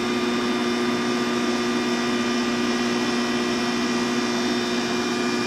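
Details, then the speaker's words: Air conditioner started on low fan speed and running off an 800W inverter converted from an old Belkin UPS on 24V batteries (two 12V) from an electric trike; steady even hum with smooth airflow hiss, no surging or rattle, running normally. "then we'll turn our air conditioner on I usually turn it on on low speed just so it doesn't have a hard startup wattage there we go we have cold air for free"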